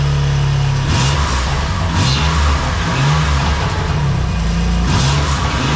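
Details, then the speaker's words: BMW M2 Competition (F87) after a Nürburgring GP trackday, with power loss noticed at full acceleration: a faint repeating metallic chirp over the engine as boost builds; the owner suspects turbine wheels rubbing the housing or damaged bearings in both turbos, unconfirmed. "sobald die eben anfangen ein bisschen Ladedruck zu erzeugen schleift vielleicht das turborad irgendwo am Gehäuse oder sowas oder es ist die Lagerung beschädigt worden ich weiß es nicht es ist auch ein sehr komisches Geräusch"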